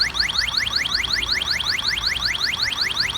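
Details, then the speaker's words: Electronic halogen refrigerant leak detector pointed at the evaporator drain tube under the vehicle: rapid rising beeps about five a second, faster when closer, confirming a leaking evaporator core. "And that's how we're able to verify using a halogen detector that we have a leak in the evaporator core."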